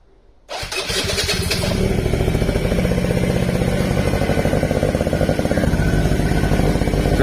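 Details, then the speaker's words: Quadzilla Buzz 50 two-stroke quad, sat over 5 years, rewired with loom and switches from a donor quad. Cold start with the rear brake wedged on; catches first go and settles into an even, buzzy idle with no knocks or misfires. "But that's it running anyway."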